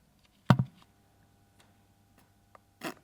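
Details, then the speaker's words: An Alien Invaders arcade cabinet powered up gives a few sharp isolated clicks over a faint steady hum but the monitor gets no power; cabinet clicks at switch-on and never comes up. "You can hear it clicking, eh? Okay, no power to the screen."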